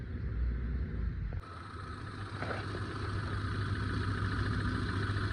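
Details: Hyundai Santro petrol engine after a new timing belt and tensioner, power-steering pump bearing, and power-steering and AC belts. Low, even idle hum with no belt squeal or chirp; normal idle.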